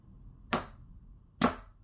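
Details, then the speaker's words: Normal starter solenoid click on a Ducati 916, triggered via jumper wire acting as starter button, brand new battery, after cleaning electrics: two sharp crisp clicks about a second apart as the plunger snaps in; solenoid working well. "this this is acting as your starter button on your bike see that that's working really good actually"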